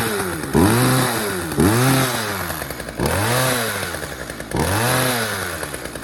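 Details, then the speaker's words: Poulan 2150LX chainsaw after recoil spring replacement: revs up hard then sags slowly back each time; throttle sticking open because a fuel line was catching the throttle linkage. "All right, sounds like the throttle is sticking a little bit."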